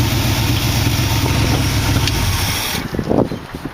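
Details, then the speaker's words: Engine with a dual-quad carburetor setup, timing set roughly and a thermostat installed; a carburetor is still to be cleaned. Low, loping idle with an uneven beat as one cylinder keeps dropping out, then it shuts off; single-cylinder misfire. "But just to give you a little taste of how it starts. You'll hear it missing on one cylinder."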